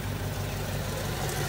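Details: 1995 Acura Integra idling after a cracked exhaust header was wrapped with Tiger Patch: steady, even low rumble with no ticking or puffing at the manifold; exhaust leak sealed.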